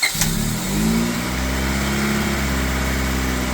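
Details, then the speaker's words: Honda Civic Si with a swapped-in D-series engine, second start attempt: catches quickly and settles into a smooth, even run with a steady tone and no ticking or chatter. Normal engine running. "Yeah man, you got a good motor, man. Fucking right. Fucking sounds good, eh? Oh yeah. Yeah, not even it's not even chattery."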